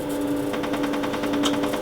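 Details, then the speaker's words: Quantronix Excel Dual Pulse 2000, holmium laser selected at 10 Hz (max 4 W), bare fiber. The flash lamp fires as rapid regular snaps about ten a second over a hum; pressing the foot switch then stops it with an error. Normal flash lamp firing. "you can hear the flashlights firing again."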